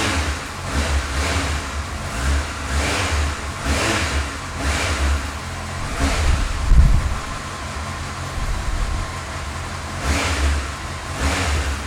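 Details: Honda CBF1000 four-cylinder motorcycle with 46,748 on the clock idles smoothly, with repeated clean revs rising and falling and no knocks or rattles under the background noise: normal, healthy idle and revving.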